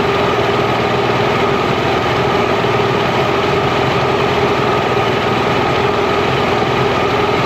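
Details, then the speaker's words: Mercury inline-6 outboard after #3 cylinder spark troubleshooting: even steady idle near 1100 rpm, all cylinders firing, no misses; idle may drop under back pressure and may be lowered with idle screw. "I think it's sitting there close to 1100 RPMs"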